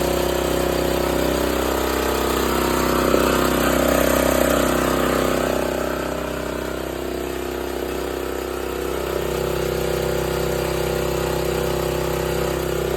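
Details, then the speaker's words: Old 8 hp Honda generator, engine sped up, running a small grinder on metal as a light load: a steady, even drone that holds speed with only a slight dip as the load comes on; running smoothly and healthy. "see if you can hear the the load on the engine it's just a little bit of a load for this engine this engine is pretty big for a little bit of a grinder than I'm going to be using"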